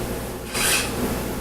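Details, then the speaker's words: FG5-X absolute gravity meter as the dropper travels up and down: short rising rasp with a fine dry hiss over a low steady hum; bearing noise coupled directly into the super spring and vibrating it, producing noisy gravity data. "This high frequency noise is the bearings. As it goes up and down, you can hear the bearings. That's getting coupled directly into the super spring and just vibrating the super spring."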